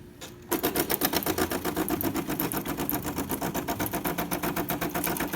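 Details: DeLonghi Magnifica test shot after tune-up (brew gaskets replaced, transmission shaft lubricated, descaled) for noise and slow coffee: rapid even pump buzz about four times a second, steady and healthy, running correctly.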